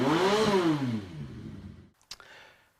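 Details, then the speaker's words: Yamaha XS1100 motorcycle after rough running, water impeller seal and oil seal replaced, no leaks; clean rise to high revs and smooth even fall on throttle release, no misses or rattles; performing beautifully. "As you can hear, he's idling perfectly and in high revs, performing absolutely beautiful."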